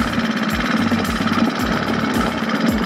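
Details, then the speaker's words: 49cc 4-stroke Honda/HuaSheng motorized bicycle engine after valve clearance adjustment, test run: quick even single-cylinder putter at steady idle, strong vibration, no valve ticking, sounds a little different than before; normal running. "it's interesting it sounds this motor sounds a little different than it did"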